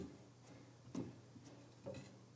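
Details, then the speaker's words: GoldStar GST-1010 tuner: soft metallic clicks and a brief squeak about every half second as the tuning knob turns; the tuning mechanism squeaks but still works fluently. "And then this is the tuning. That still seems to work. So that's already fine. It does make a bit of a weird metallic sound."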